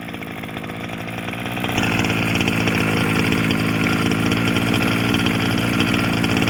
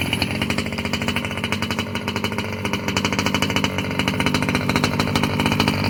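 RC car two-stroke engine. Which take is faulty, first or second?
first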